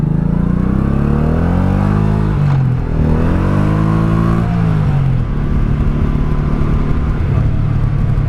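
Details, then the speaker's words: 1984 Honda Shadow 700 (VT700C) V-twin. Smooth drone rises on the rev and falls away on deceleration with a mild, even rumble and no knocks; owner says it runs good. Normal engine rumble. "Yeah, listen to that. There's a little bit of rumble in there."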